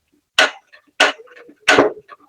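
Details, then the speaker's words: Gas stove burner knob with its piezo igniter, on the burner that still partly works: three sharp clicks about two-thirds of a second apart with no flame catching. The igniter works, but the spark takes quite a while to light the burner. "berfungsi, tapi semburannya lumayan lama ya."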